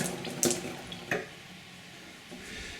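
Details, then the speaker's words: Pressurised gas-heated hot water system, refilling after changing a Zilmet expansion vessel, supply turned on partly: hiss of water rushing in with a couple of knocks; drain taps left open so water runs straight through. "You hear water rushing in. Those taps are clearly not off."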